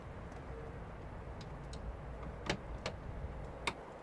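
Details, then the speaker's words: 2009 VW Golf, interior central locking button after repair (it previously locked but would not unlock): a few sharp clicks and a solid clunk as the latch throws with light button pressure. Normal door lock operation. "It locked. Oh, can you hear this? I'm not even putting much pressure."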